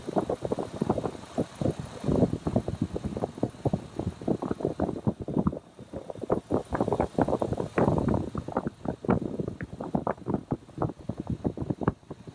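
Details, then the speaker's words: 2003 Ford F-250 4x4 Super Duty, 6.8 L V8, P0301: uneven idle with irregular stumbles breaking the rhythm, intermittent cylinder 1 misfire; ignition tester shows coil arc cutting out intermittently, suspected coil, injector or other cylinder 1 component not yet ruled out. "En estos momentos está trabajando bien, pero intermitentemente se corta. Vamos a esperar que presente el fallo para corroborar que es la bobina y no el inyector o cualquier otro componente relacionado al cilindro número 1."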